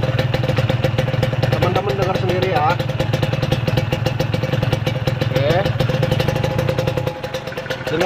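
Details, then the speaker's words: Kawasaki Ninja 150 two-stroke engine with a history of failure after its oil-injection (side oil) hose leaked; rough idle with a fast, uneven puffing tick: a sharp chuff from a leaking exhaust joint, as suspected. "dan benar dugaan gua suara bocornya kini siap Tapi kita dengar suara mesinnya"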